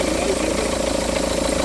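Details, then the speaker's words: 2009 Seat Leon at idle, crank pulley looks new, oil leaks around it: steady hum with rhythmic wobbling throb at engine speed from a loose, wobbling AC compressor pulley. "the dumper the dumper you know the balancer the rubber on the FR Poli like the there is a dum in this one you see it"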